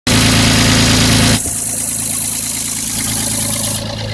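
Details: Toyota 1FZ-FE six-cylinder at steady idle: even tapping at about four per second, likely from the top end and described as valve knock. Cause unconfirmed.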